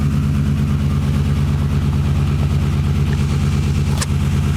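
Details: 2004 Ram, crank no start: steady, regular churning for nearly five seconds that stops abruptly; it turns over but never fires.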